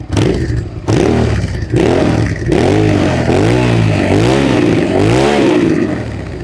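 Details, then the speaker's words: 2002 Suzuki SV650 V-twin after carburetor cleaning, throttle blips: crisp, clean revs rising and falling quickly without stumbling or hesitation; previously one cylinder rattled at low rpm, suspected not getting fuel; now runs smooth and snappy, fixed. "It runs so smooth now. Amazing what a carb cleaning will do."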